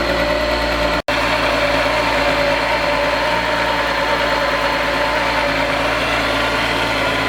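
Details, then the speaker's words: VW VR6 idling just after starting. Steady, smooth, unbroken hum with no misfire or ticking and no smoke; normal idle. "Idling smooth. Sounds good, no smoke."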